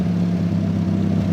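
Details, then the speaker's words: Mazda Miata, after the air intake was fixed, idles only sometimes and dies on any throttle. Low idle wavering in loudness, close to dying. Owners suspect bad gas or a bad sensor, not confirmed. Unstable idle. "we're kind of at a weird standstill of why it sometimes wants to idle and why it sometimes does not but we also can sometimes give a gas and sometimes not give it gas sometimes if you give it any throttle at all it just dies so"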